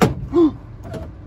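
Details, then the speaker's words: 98-02 Honda Accord coupe, newly installed window regulator: short motor whir as glass runs up, then dull clunk near top as regulator arm strikes bracket, possibly due to a larger missing notch on the bracket. "Because it sounds like it's hitting the arm, and then I look in there, it's hitting this arm on this bracket."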